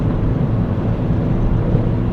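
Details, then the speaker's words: 2015 Mini Cooper after DIY rear wheel bearing replacement, driving at highway speed: only low, even road and tyre rumble, no growl or hum rising with speed; quiet as a church mouse, new bearing healthy. "it's quiet as a church mouse"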